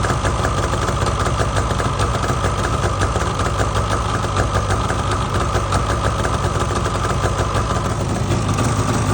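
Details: 2019 Polaris 850 two-stroke at steady idle: a fine, quick, even ticking runs through it; ticking at idle, cause unknown.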